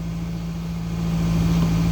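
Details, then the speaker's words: 2013 Nissan Rogue that only clicked with no start; fault was the ignition switch, not the starter—pushing the key further in lets it start: low steady idle picks up slightly then holds even, no stumbling. Normal idle. "You just push it in a little bit and then it start right up."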